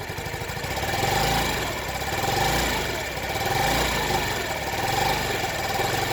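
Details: Honda Ruckus, stock engine, started with starter fluid; very rough idle, revs swelling and sagging about every 1.5 s without throttle input, runs only at half to full throttle; owner suspected fuel pump, new carburetor fixed gummed-up carb.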